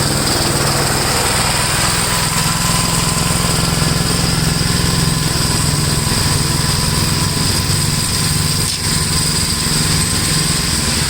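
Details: 1962 Gravely LI walk-behind tractor, single-cylinder, mowing a field after valve adjustment and carburetor tuning: steady chug at constant speed under load, no misses or knocks; runs acceptably.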